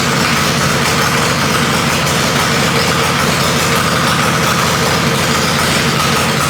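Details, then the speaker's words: Harley-Davidson Panhead chopper after a top-end rebuild, idling after ignition timing was retarded slightly: steady, even V-twin drone with no misses or popping, running smoothly and sounding better with the timing change. "as you can hear it definitely like that timing change"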